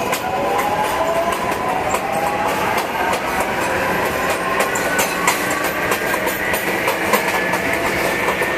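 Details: MTA R142A car 7686 on a Manhattan-bound 4 train, 183rd Street next: clear whine climbing steadily in pitch as the train gathers speed over rail clatter; howling traction motor, later fixed.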